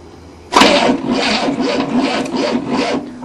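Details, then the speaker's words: 1967 Cadillac not started in 30 years, first try with newly fitted starter motor: starter turns engine with rhythmic labouring pulses about twice a second but never catches; same as before, new starter didn't help, timing to be adjusted; cranking no start. "With the new starter motor, we don't even know if it works yet. First try. It's the same."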